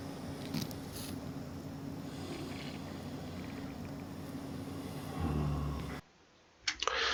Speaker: 소리가 쥐익 하고 이렇게 올라옵니다. 장비를 물어놔서 이제 공기가 빠지는 소리인데요.